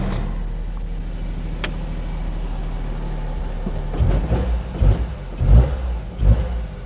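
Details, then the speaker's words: Invacar "Desmond" small twin after belt fix, electrical loads switched off: even idle with a few clean throttle blips rising and falling; sounds healthy. "Sounds good. We'll just let Desmond have a little run up and uh swap cars."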